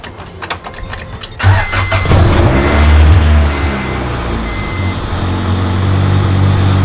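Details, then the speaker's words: Honda Civic with an intermittent stalling problem, shutting off in traffic: the starter cranks about 1.5 s, then the engine catches and settles to a steady idle; it restarts after the stall, cause unknown. "Every once in a while, the car would just kind of shut off in the middle of traffic, and I would just have to turn the car back on, and we were golden."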